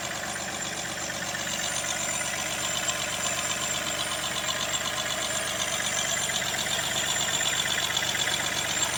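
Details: Mahindra TUV300 diesel engine at idle: a thin, high squeak repeating about four times a second over the running noise; source unknown.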